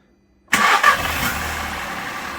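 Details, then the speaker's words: VW Up salvage car, 62k miles, restarted after fitting a new aftermarket inlet manifold to replace the cracked one: starter catches quickly, short rev flare, then smooth even idle with no misses; previously ran lumpy. "if you remember it it wasn't running properly but now if I just get a restart you'll hear it"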